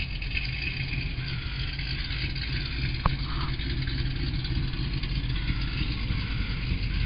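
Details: Car with Corsa exhaust at idle, before swap to Bassani true duals, car partly disassembled: steady low rumbling idle with raspy uneven puffing underneath plus an unrelated clacking; exhaust leaks.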